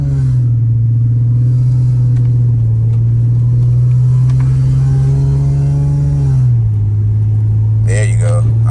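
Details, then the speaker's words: 2011 Infiniti G37 driving on road, windows down, worn wheel hub bearing: steady low drone that drops slightly as the car slows — wheel bearing hum, first sign the wheel hub needs replacing. "you should be able to hear that it's going like that's your first sign you need a wheel hug"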